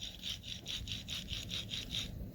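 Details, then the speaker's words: Toyota Prius wheel bearing spun by hand gives gritty rasping pulses. The passenger-side bearing sounded a little noisy, but this one is believed to be the bearing that went bad on the car. "i think zayn thinks that's the one that went bad on his prius"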